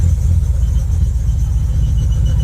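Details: Ford Focus ST 5-cylinder, new MAF sensor fitted: deep idle rumble with uneven, stumbling low beat, bogging down; still misfiring at idle, not solved, no engine light on.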